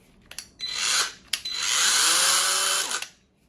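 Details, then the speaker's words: Parkside PWSA 20-Li C3 20V cordless angle grinder, dead on arrival: motor spins up to a high whine, bogs and cuts out within a second, repeats, with smell from motor; burnt, blackened 897 motor, later swapped for 895 20000 rpm motor. "As you can see, it starts working, but it cuts out. There is a smell from the motor, and I will show you how it looks from the inside. You probably can see that engine is burnt, completely black."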